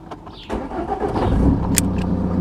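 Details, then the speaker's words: Ford Mondeo Mk4 after replacing the ignition switch because the key would not turn to start: a brief crank, then the engine fires promptly and settles into an even idle; normal engine start. "let's try to start it up focused so this is position one that's position two so far so good yay works"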